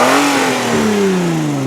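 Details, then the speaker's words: 2002 Hyundai Sonata LX being revved: engine rises and falls with a raspy hissy puffing from an exhaust leak near the flex pipe, probably not the manifold; engine otherwise sounds good with no knocks. "So A, you can hear, you know, the exhaust leak, which I said is like right back in that area. I do not believe it's a manifold though, okay?"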